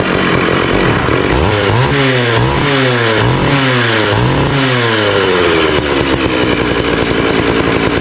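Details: Early-1980s Poulan 3700 chainsaw, rebuilt after years not running, chain on and oiler working: crisp two-stroke revs rising and dropping cleanly with even return to idle; runs healthy.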